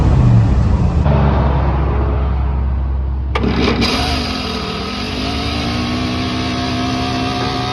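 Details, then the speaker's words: Truck engine starts, then settles into a steady idle with a faint light rattle on top, possibly a loose part. "Wondering what that noise was. I had the air cleaner lid set here, but yeah, now it should fire up and run good."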